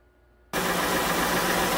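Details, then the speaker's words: 2006 Honda Ridgeline after replacing overcharging then dead alternator, original pulley fitted: engine settles into steady, quiet idle with even hum, no belt chirp or squeal; normal idle. "so it's quiet at an idle i'm gonna rev it up"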